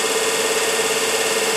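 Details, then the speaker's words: 1 hp 24 V DC motor, prime mover for a 1943 GenEmotor loop, run on 12 V before servicing: steady electric hum near 450 Hz, straining; high amp draw, owner suspects stiff bearings, brush tension or both. "I'm not sure whether this is the bearings or the tension on the brushes or a combination of both i would think so"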